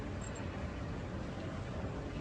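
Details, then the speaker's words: ABB contactor demo: conventional-coil contactor fed rising voltage gives a low rough buzzing rattle, still vibrating after closing near 130 V and silent only at nominal voltage; coil chatter from undervoltage, unlike the multi-voltage AF contactor. "alrededor de los 130 volts cierra el contacto convencional pero si sigue escuchando la vibración solamente hasta que el voltaje llega a su valor nominal es cuando dejamos de percibir dicha vibración"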